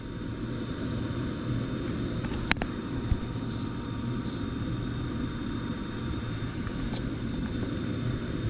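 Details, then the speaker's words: New 2.5-ton 14 SEER ICP package unit with 10 kW heat kit after connecting missing common wire, drawing 45 amps: steady blower motor hum and airflow, no squeal or rattle; running normally. "we've got 45 amps and I hear the blower motor running"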